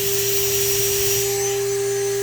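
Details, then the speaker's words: Shapeoko Pro CNC 2.2kW spindle wide open, phone held close, water pump running: loud steady single-pitch whine with soft pump hum underneath; running smoothly. "Here's the spindle wide open, close as I want to get a phone to it."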